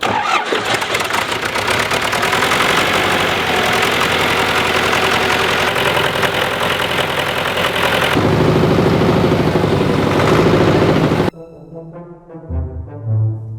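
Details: Old farm tractor in cold snowy weather, after oil pump replaced with a used one due to broken pump drive gear and zero oil pressure: cranks, catches within seconds, settles to an even rattly diesel idle, then cuts off.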